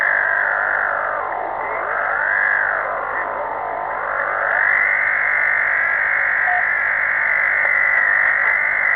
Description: This phenomena is really strange. It changes frequency constantly over the band.